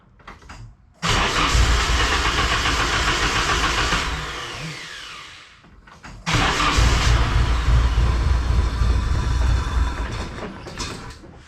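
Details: Nissan 240SX, rebuilt after the timing chain snapped and pistons hit valves, timing roughly set at the distributor: the starter churns, the engine catches, dies down, then fires again into a rough, uneven idle, finally running on its own.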